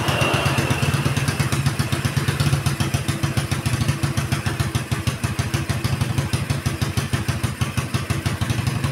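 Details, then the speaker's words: Keeway Superlight 200 Chinese single-cylinder motorcycle after carburetor adjustment lowering idle from 2,500 to 1,750 rpm: steady, even low thump with regular beats and no hunting, normal idle. "I took it from Two and a Half thousand RPMs to one thousand and three-quarter RPM and this is just the sound that I'm going for right now"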